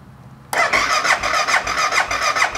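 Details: BMW motorcycle that won't start, power seemingly reaching the fuel pump, about 9 volts while cranking: starter whirs in quick rhythmic pulses for nearly three seconds with no firing at all; cranks but won't start, the fuel pump suspected dead.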